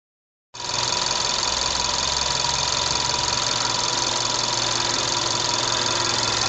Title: bruit moteur 1.2 tsi 105 polo 6r